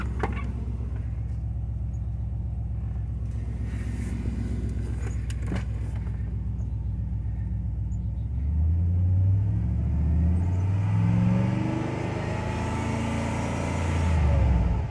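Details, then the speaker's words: 2002 Chevrolet Silverado 2500HD 6.0L gasoline V8 with codes P0300 random misfire and P0332, bank 2 lean: uneven stumbling rumble after starting, smoke from exhaust (owner fears head gasket); misfire traced to faulty ignition coil. "hear how rough that is yeah something coming out the exhaust"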